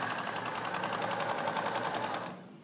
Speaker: i'm happy with the stitch length and tension that the machine is sewing at